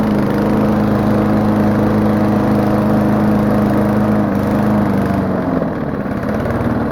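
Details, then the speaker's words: Old lawn mower modified with the throttle spring bent for more speed and the brake/cutoff spring removed. The single runs at a steady high governed speed, harsh and very loud. "because like I said, lawnmowers are loud in general, but this one's especially loud."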